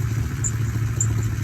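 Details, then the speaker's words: Foxbody Mustang warming up at idle: steady, deep, slow-pulsing rumble with light clatter on top. Idle is noticeably low but runs smoothly; the car has a header exhaust leak and a squeaky belt. "and yeah it's got a pretty low idle but car runs great for what it is"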